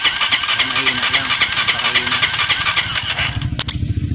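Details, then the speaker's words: Honda TMX 125 motorcycle with a history of hard starting, which suddenly stopped. Rhythmic starter cranking at three to four pulses a second that never catches; very weak spark at the high-tension wire. "Isa pa. Napakahina. At saka dati hard starting daw."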